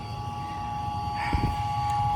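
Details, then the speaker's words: Septic tank aerator pump motor just replaced because the old one's bearings were bad and noisy; the new motor runs with a steady, even hum and a clear high singing tone, no grinding or rattle. Normal running. "Let's go over to the pump. Ah, she's a singing. I hear it."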